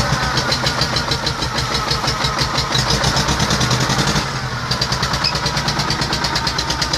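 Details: T-25 tractor diesel engine after repair, normal idle: steady rhythmic diesel clatter at about three pulses a second, even and unbroken; engine idles healthily.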